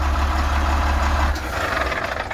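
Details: Truck diesel engine idling steadily with even clatter, no misfire, after restarting once a possibly oxidized ground connection was cleaned and tightened; cause of breakdown still unsure; now running normally.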